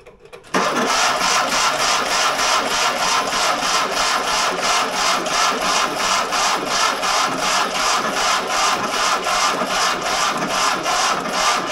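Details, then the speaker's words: Fiat 126 barn find that sat for many years, cranked on a starter battery after filing the points: steady starter churn about three turns a second for over ten seconds without catching; no spark at all. "På ett startbatteri. Nej, ingen gnista alls."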